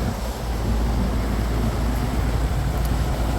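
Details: Outdoor condenser unit brought back after a power outage, compressor wire moved to the contactor's top side: steady, even low roar with no clatter or buzzing; compressor and fan running normally.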